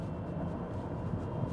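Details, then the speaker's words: 2018 Honda Accord 2.4 i-VTEC, 5-speed automatic, low mileage, droning "woo" hum under road noise while cruising, like a worn pulley bearing; noted as needing repair, cause not confirmed. "มันมีเสียงเหมือนวู้ๆๆๆใช่มั้ยได้ยินมั้ยอ่าครับใสอื่นๆโอเคเนี่[เพลง]อ่าอ่ามีเสียงดังของลูกรอกนะท่านผู้ชมแต่ตรงนี้เราแก้ไขก่อนอยู่แล้วนะครับ"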